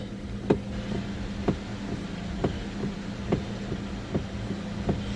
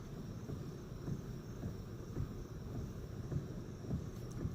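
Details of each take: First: 2006 Pontiac G6 with electric power steering: sharp clunks about once a second only as a turn is started left or right, not while holding the turn, from a worn steering intermediate shaft; gone after replacement. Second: 2006 Pontiac G6 with electric power steering, after the intermediate steering shaft was replaced: low rumble with soft thumps when turning, and the loud clunk at the column on initiating a turn is gone. The owner suspects the rack and pinion is still bad on one side.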